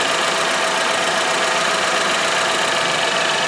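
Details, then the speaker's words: 2013 Chevy Equinox, 2.4L four-cylinder, idling after a PCV upgrade (PCV line to the manifold, PCV valve on a modified oil cap): a smooth, even idle with a light, quick ticking. There are no vacuum leaks; normal. "Everything's nice and dry. No vacuum leaks. Engine runs smooth."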